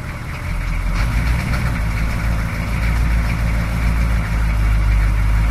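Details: 6.2 diesel hard to start with smoke: deep idle with uneven, lumpy pulsing and surging, barely holding on even with throttle; fuel delivery suspected, fuel filter replacement planned.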